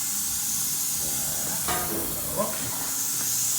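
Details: Volkswagen Karmann Ghia drag car with Audi TT 1.8T 20v APX engine (225hp, K04 turbo) on the dyno, high-pressure compressed-air boost leak test: a steady sharp air hiss that never lets up while the intake is pressurised, meaning boost is escaping through an intake leak.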